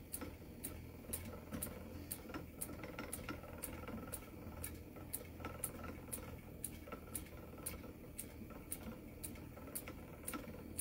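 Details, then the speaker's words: Spinning wheel treadled while spinning angora blend: sharp, regular clicks about twice a second, the rejoined drive band joint passing over the whirl once per wheel revolution per treadle press; wheel needs tightening. "what that does tell me is exactly how many times this drive band is turning because for every click it's the drive band um passing over top of the world"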